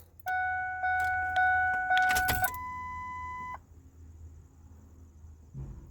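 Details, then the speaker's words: Truck at about 350,677 miles, just after fuel filter replacement: ignition key on to prime. Steady mid-pitched hum for about three seconds, then a clean cutoff; normal fuel pump priming, no leaks. "prime it again we'll do it three times and we'll fire it up"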